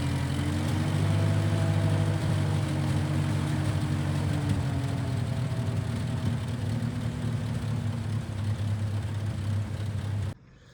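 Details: 1955 Massey Ferguson MF65 tractor, in the family 30-some years, started after sitting about two years with a cleaned-out carb; smells of varnish and rusty gas. Even, low drone holds steady with no misses or knocks before cutting off. Normal running; Marvel Schebler carb may need slight dialing in.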